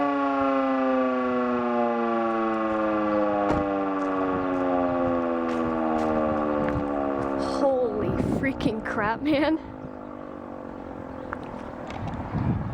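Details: Older Federal Signal Model 2 siren with old CD box, test: tone sags and wavers like heck, never reaching full pitch, then winds down; motor struggling to reach speed. Brushes probably worn (suspected, not confirmed).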